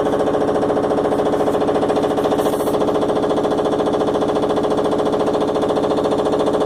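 Fast, even hammering about three and a half blows a second, loud and steady throughout: a repetitive bang from the washer, cause unclear.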